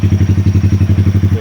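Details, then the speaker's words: 2020 Honda Grom 125cc after fault, ECU and TPS resets fixing rough idle and misfire: even low putter about ten pulses a second, no stumbles; smooth settled idle. "I don't want to drag this video forever, but anyway, I'm gonna leave this for 5 minutes to relearn again all the sensor, and the engine will be running nice and smooth."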